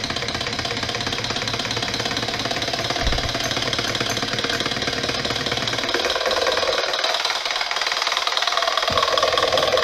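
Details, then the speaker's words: Twin opposed Scotch-yoke solenoid engine run at reduced voltage, driven by an Arduino Nano and a Cytron motor driver: rapid solenoid clacking with a thin whine. The whine is the driver's PWM pulse frequency, which falls in the audible range. "Also, you hear kind of an annoying little whine when those solenoids are energized, and what that is that's the pulse width modulation signal from the driver."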